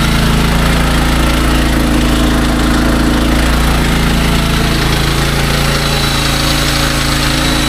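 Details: SDMO 5000W generator, Briggs & Stratton engine (about 18 hp), after repair, heavy load test with a 6 hp vacuum and 1500 W heater (about 15–20 A expected); steady even drone, no hunting or knocking; healthy under heavy load, low on fuel, sitting at an angle.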